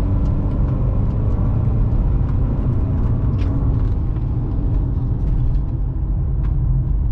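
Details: BMW 123d (E81/E87, N47 diesel) driving after replacement of an end-of-life timing chain with worn tensioners. Steady even rumble with no more chirping or sizzling and no warning light; engine sounds healthy.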